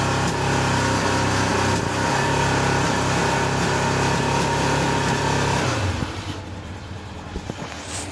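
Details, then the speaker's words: Honda 750 F2 motorcycle at tick-over after standing damp over winter, running on three cylinders: lumpy idle with irregular pops; number three cylinder runs cold due to a failing spark plug, to be replaced. "matter of fact you can still hear it popping now so it's got a malfunctioned spark plug"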